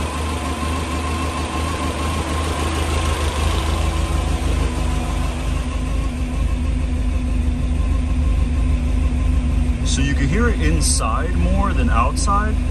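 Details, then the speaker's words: Toyota 3TC with a newly installed gear drive, carbureted, just after first cold start, in a garage: steady engine note with a thin, constant gear whine that becomes audible after idle was quiet; normal gear drive noise, louder indoors. "but then carbs so at idle you don't really hear the gears at all oh now we do okay"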